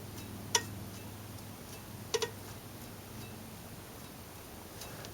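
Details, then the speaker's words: Volkswagen Beetle, new wheel bearing spun by hand before replacement of the bad one: nearly silent with only a few faint ticks, a healthy bearing turning smoothly. "Now listen to this bearing right here, which is a brand new one."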